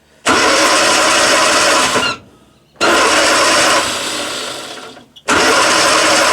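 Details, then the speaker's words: 1962 Austin Healey Sprite Mk2 that hasn't run in over 40 years, cranking on the original starter solenoid before fuel is added: three even two-second cranking bursts with no binding. The engine turns over freely. "So, it turns over nice car hasn't run in over 40 years. I don't think the motor's even turned over."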